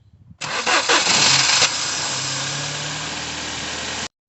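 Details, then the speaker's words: Ford Focus that cranked without starting, immobilizer light flashing and CAN/immobilizer fault codes, started with jump lead to battery and negative to terminal: short crank catches within a second, flares, settles to steady idle; bad earth suspected. "So basically, car wasn't starting. We've ran our live to the battery and our negative onto this terminal, and the car is started."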